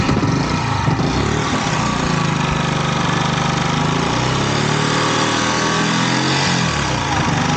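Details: Yamaha YZF R125 under crash-damage rebuild, restarted to check the road-scraped exhaust for holes or smoke: steady, even single-cylinder note, no puffing or ticking; no gaps, cracks or escaping fumes, exhaust only needs a new sleeve.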